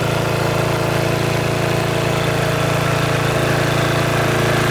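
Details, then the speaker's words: Riding mower at idle on stock muffler, before quiet-exhaust swap: even, steady single-cylinder putter, no knocks or misses; normal idle. "All right, there she is at idle. I don't think it's too loud at all. In fact, you can hear the engine racket."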